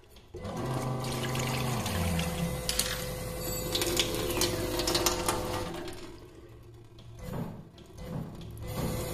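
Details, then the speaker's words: SEAFLO 56A diaphragm water pressure pump after closing the bypass valve one turn, faucet at a trickle: steady motor hum with water rushing, no cycling, and it still shuts off when closed; healthy, correct adjustment. "running a trickle to see it that we're not cycling but it still turns off that's where you want to be"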